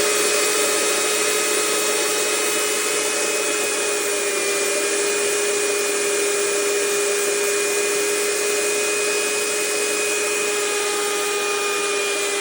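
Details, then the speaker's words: 4.5-inch Tesla (bladeless) turbine driving a 1090 kV generator expected to reach about 25,000 RPM, under 120 psi tank, 1200 W load of work lights via 24 V inverter; steady high whine with faint rough undertone, owner suspects slight generator bearing misalignment. "Yeah, it just sounds great. Come and spin it down now, too. I mean, I don't know. I think there's a little something in there."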